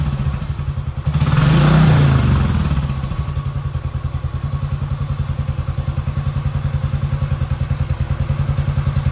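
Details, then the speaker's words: 2010 Royal Enfield Bullet Electra EFI single, 965 miles, sat unrun for years; after fresh fuel, replacement battery, fuel leak repair and loose ignition barrel with dodgy connection: starts smoky, blip then even steady idle thump, no knocks or misses; runs nice. "runs nice just gonna hang them some barrels go down go check of indicators and Brad lights work"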